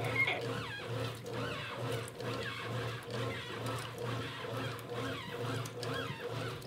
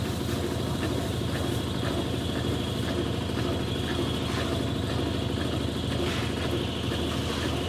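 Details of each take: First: 1993 Brastemp Mondial rotary washing machine after restoration: repeated rising squeaky chirps in time with the agitator over a low motor hum, from a new shaft seal; normal, expected to fade. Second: 1993 Brastemp Mondial Rotativa washer spinning: a thin steady squeal over the spin rumble. The owner explains the shaft seal (retentor) squeals when running dry and is quiet when water keeps it wet.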